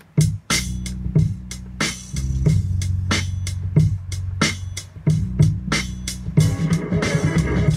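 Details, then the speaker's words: Rogue PRM-806 mixer after repair of a signal fade-out fault, testing the tone controls on one channel: music plays back clean with steady, full bass and clear highs, no crackle or dropout; tone controls working properly. "right it works perfectly there's nothing wrong with it"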